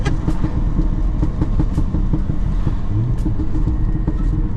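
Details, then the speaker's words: Audi RSQ3 five-cylinder quattro bought at auction, on a test drive with window down; sharp irregular pops and crackles over a low rumbling drone on overrun; suspected pops-and-bangs map that may have damaged the original cat, not confirmed. "If it's got a Pops and Bangs map on it, and it's still got the original cat, then the cat's probably had it."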